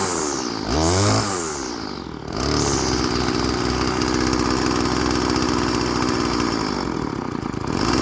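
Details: Old Stihl FS 36 string trimmer, sat 2+ years, after a new primer bulb and carb tuning: quick rev dropping back to a steady, even two-stroke idle with no hunting or stumbling; runs good and restarts warm.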